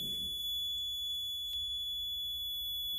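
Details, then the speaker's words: Bridge circuit measuring an unknown series capacitor and resistor, with a buzzer as detector: steady piercing high buzz at constant pitch, showing the bridge still unbalanced. "Okay, once the bridge is balanced, the current flowing through this buzzer or through this speaker becomes 0."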